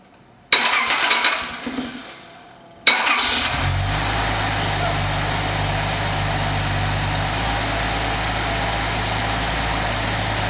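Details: Nissan 280ZX Turbo after the old ECU was swapped for a new one. The fuel pump is heard priming, then a couple of seconds of cranking and it catches cleanly into a steady, even idle. Healthy start.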